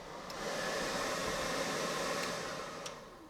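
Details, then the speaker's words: Toyota Land Cruiser FJ45/80 with XR6 Turbo Barra engine swap, newly plumbed AC blower running with ducts not yet fitted: a steady airy whoosh with a smooth, even rush and no rattle or squeal; working normally. "We roll into the AC, so that's all plumbed up and working."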